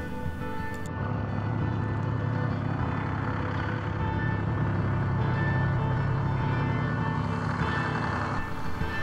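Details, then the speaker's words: 1968 International Fleetstar 2000 dump truck, 6-71 Detroit two-stroke diesel, sitting 15 years, started on ether: steady low diesel drone, even pace, no knocks or misses, rising slightly as it settles; normal diesel idle. "Man, this thing sounds really good. For sitting all these years, I can't believe how good this thing is running. Gotta love those old Detroit diesels."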